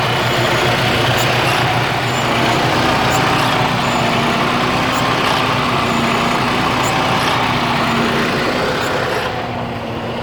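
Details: 2009 Freightliner Cascadia with a Detroit DD15 engine, around 800,000 miles, at idle: an uneven, wavering drone with a loping beat. It has always run this way, and the shop called it normal.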